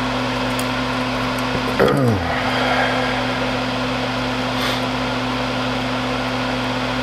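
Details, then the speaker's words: Seized sled motor from a Panasonic 3DO FZ-10 whose laser wouldn't move, bench-tested with a 9-volt battery: brief whirring chirp dropping in pitch as it spins, then stops, over steady hum; motor turns freely. "then when I hit with a 9 volt battery make that move we're gonna see if that actually fixes our problem have one line of the wire on the positive tournament is it terminal one of the negative boom and that moves so that's good"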